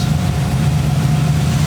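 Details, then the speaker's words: 1940 Ford Tudor street rod V8 after carb spacer reinstall and plug cleaning, warm at about 190°F, idling around 800 rpm with good oil pressure: smooth, steady low hum, no knocks or misses; normal idle. "we're running right now we're sitting at about 800"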